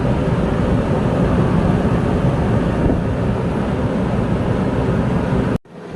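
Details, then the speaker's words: New Advent 15K BTU rooftop RV air conditioner, just installed, running with compressor on, lid off, about half as loud as old unit: steady even rush of airflow, no knocking, rattling or compressor whine; normal running. "I mean, the main sound you're hearing is really the air. That's all we're hearing. I'm not hearing the AC unit at all."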